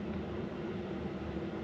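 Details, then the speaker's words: Diesel heater installed in a VW Vanagon, at setting 5 of 10, drawing about 1.7–1.8 amps. Low, steady hum with even fan whir, no surging or popping: normal running. "Alright, that is setting 5 of 10. That is currently pulling 1.8 amp hours, so 1.7."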